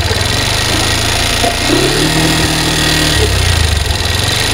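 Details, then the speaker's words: Honda Hornet motorcycle at idle after a fake aftermarket timing chain was fitted against advice: constant metallic rattle riding high over the engine; the part is said to lead to rocker and rocker pin damage; timing chain noise. "এই যে সাউন্ডটা হইছে এটা কিন্তু বাইরের product setting করার কারণে হইছে"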